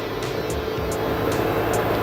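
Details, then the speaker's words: LG 8 kg washer / 5 kg dryer 2-in-1 inverter direct-drive front loader, Q test spin: a steady hum with a rising whir and light swish as the drum climbs past 1000 rpm toward the 1400 maximum; healthy. "Yeah, increasing RPM you can see with the Q test. Now again I will press, it will increase maximum 1400, this one maximum RPM."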